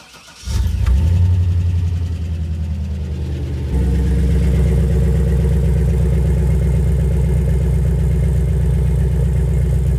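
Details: Chevrolet Silverado 6.0 after installing a Walbro 255 in-tank fuel pump with the system primed: the engine cranks briefly, catches, then settles into a steady, even low idle with no misses or knocks, so it starts and runs normally.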